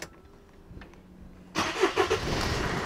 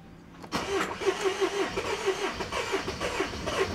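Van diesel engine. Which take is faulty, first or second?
first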